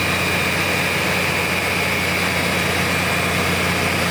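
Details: BUCKETMOUTH forestry mulcher/stump grinder, 1.2 m wide, 1.7 m high drum over 6 tonnes, after startup at full revolution; constant heavy roar with steady high whine, no knocking or grinding; drum spins smoothly at speed.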